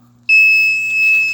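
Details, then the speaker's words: Firelight MS4 fire alarm panel gives a steady high-pitched trouble tone flagging zone 3 after zones are re-enabled during a pull station swap. Technician suspects the alarm circuit end-of-line resistor; the NAC circuit is disconnected for testing. "Okay, zone 3's got an issue. That's probably my NAC circuit."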